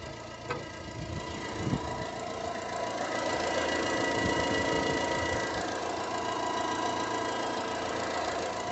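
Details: Fiat Palio Attractive engine at idle with a quick, fairly steady tapping about four per second over the run; engine knocking noise, cause not pinned down.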